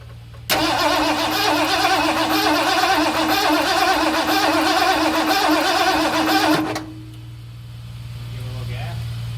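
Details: 1978 Ford F-250 460 flatbed sitting about 15 years, HEI ignition installed: starter churns steadily about three and a half beats a second for six seconds, never catches; gas puddling, fuel seen shooting from pump into block.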